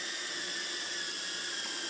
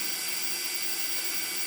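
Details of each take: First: Budget 4S DJI Digi hex-copter in a Betaflight motor check, with motor remapping and flight controller and ESC updates still pending: the motors jump, giving a shrill wavering whine; uneven spin-up, cause unclear. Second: Budget 4S DJI Digi hex-copter in a Betaflight motor check at about 1160, with motor remap and flight controller and ESC updates pending: a steady, high, airy whir from all motors, no grinding or stutter; normal spin-up.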